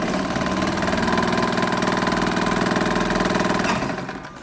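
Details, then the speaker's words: Vintage Omega sewing machine after service (hook timing adjusted, tension spring replaced, new belt), sewing on long stitch: quick even chatter about four stitches a second, no knocks or skipped stitches; normal running. "Φανταστικό. Δεν χάνει καθόλου, δεν θυλιάζει καθόλου."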